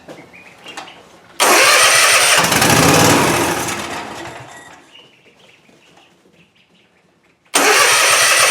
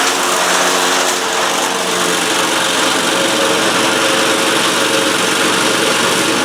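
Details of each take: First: Cub Cadet Ultima ZT2 zero-turn mower, 60-inch deck, dry fuel system started on starting fluid with new filter: cranks, catches in a loud burst, then dies within seconds; no fuel delivery, fuel pump later found failed. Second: Cub Cadet Ultima ZT2 zero-turn mower with 60-in deck, Kawasaki engine, after repairs of no-start issues (starter solenoid, carburetor, fuel pump): steady, brisk buzz at constant speed with no surging, knocking or misfires; running cleanly, normal running.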